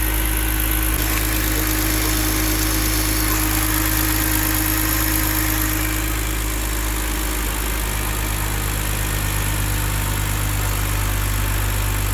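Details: BMW E46 with bottom-mount turbo build, first start after ECU tune and adaptation reset: steady, even low hum at idle, constant tone, no knocks or misses; smooth normal idle.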